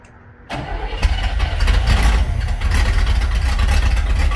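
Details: Barn-find Cadillac 7-liter, first start in 30+ years on new plugs with lead substitute added: catches after brief crank, settles into a deep, strong, steady run with some revving, sounding healthy on all cylinders.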